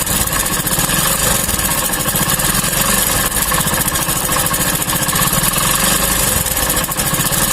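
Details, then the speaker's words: Hero motorcycle single-cylinder idle after a new timing chain, run 3–4 minutes until oil reaches the top: a steady, even beat with the chain noise settled. A light top-end rattle remains from the timing chain top cover, which needs setting. "देखिए आवाज़ बदल गया है। अब ये थोड़ा बहुत आवाज़ है, ये टाइमिंग चैन के ऊपर की टोपी का है, जो इसको सेट कर देने के बाद ये सही हो जाएगा।"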